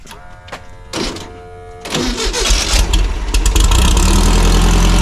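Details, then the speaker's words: Beach buggy fitted with Black Betty's engine, first start after the swap: short cranking bursts, then a strong, even idle; sounds healthy and better than the previous engine that grenaded. "Made some quick work of that. That sounds good. Sounds a lot better than the one that grenaded on us."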